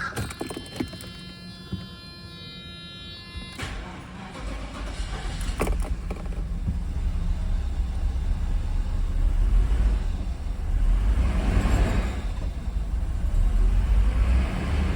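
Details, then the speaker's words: Engine started despite ruptured high-pressure fuel hose: after other noise it catches and revs unevenly with lumpy, irregular beat; runs poorly, cause not yet found. "It runs, not well, but it runs. All right, next episode, hopefully I'll get it figured out why it's not running correctly, and we'll get it smoothed out."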